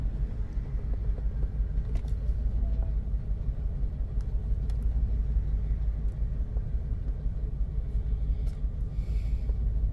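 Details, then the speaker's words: 2002 Chevrolet Express 4.3 L V6 with check engine light and many stored codes including misfire detected: low, rough idle with a faint uneven pulse, about three stumbles a second, from a cylinder misfire; which cylinder is still to be found. "I'm gonna show you if yeah this is a misfire so we need to know which one"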